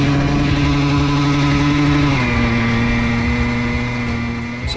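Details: Honda CR125 two-stroke dirt bike idling dangerously high with no throttle, a steady high-pitched drone; cause was a chipped carburetor slide, though air leaks (air boot, intake, reed valve, left crank seal) or a sticking throttle cable can also cause it.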